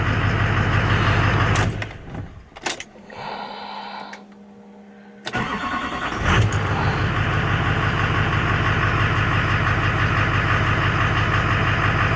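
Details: Duramax LBZ diesel with new 60% over injectors and modded CP3 after a restart: steady, even idle clatter with no misses or surging; check engine lights went off.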